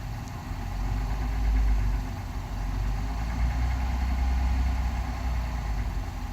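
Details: Brand-new engine in a 2021 Honda Passport knocking at idle and low rpm: a deep idle rumble with a faint, loosely spaced knock. Cause not confirmed.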